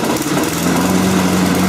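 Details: Toro Personal Pace mower that ran and died, after cleaning the carburetor bowl, bowl nut and passageways and checking the float: small engine runs smooth and steady at constant speed with no misses or surging; sounds healthy.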